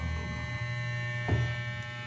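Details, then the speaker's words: Wahl Super Taper hair clipper after repair of a worn plastic part that softened with heat and rattled; run: steady even low hum, no rattle, now quiet; normal running. "okay na siya guys, hindi na siya maingay."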